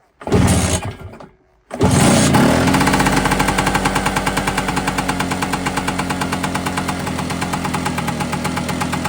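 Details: Vespa with Polini 177 kit, cold first kick start after new piston rings, oily bore and smoky: fast, uneven idle with a dry metallic rattle on each stroke from the top end; rattle persists.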